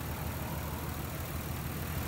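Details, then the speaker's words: 1994-1999 Nissan Maxima at idle: low, stumbling idle with an uneven exhaust chuff, a cylinder dropping out; unplugging the bad ignition coil pack leaves it running the same, identifying the failed coil. "The way you can tell is you hear how it's running now. You take this off and it runs the same."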